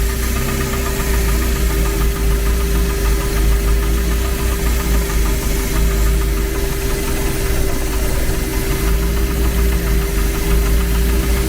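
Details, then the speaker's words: Renault 11 TXE carburettor engine after new pulley fitted, idling barely 500 rpm instead of 800: deep lumpy idle with heavy uneven thumping, barely ticking over; idle stop screw not pressing on the throttle lever, part to be reformed. "Ah oui, attends, le problème c'est que la butée, elle appuie pas où du tout où il faut"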